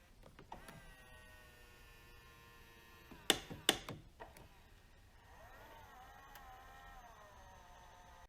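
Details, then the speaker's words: 2002 Harley-Davidson F150 power side mirror before repair: faint, strained whirr with clicks, pitch sagging under load, mirror not adjusting in all directions; faulty power mirror switch blamed. "you can actually hear the weak operation of the motor and it does not adjust in all directions"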